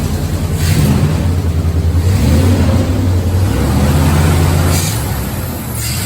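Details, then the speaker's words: 2001 Dodge 1500 starting and revving smoothly after exhaust-to-manifold gasket replacement; steady low exhaust note, no ticking or puffing, where before repair it clicked from the manifold exhaust leak; sounds normal. "see she cranked she didn't she sounds different though yeah she sounds right she sounds like she's supposed to cause usually it was it was clicking because of the uh manifold yeah exhaust leak"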